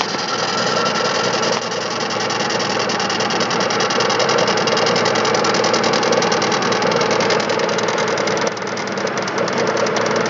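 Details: 2005 Chevrolet Spark 0.8 (Matiz engine), cold idle in rain: quick, fairly even, steady light ticking; owner suspects valves (not yet adjusted) or camshaft, unconfirmed; timing belt and rollers replaced 5,000 km ago.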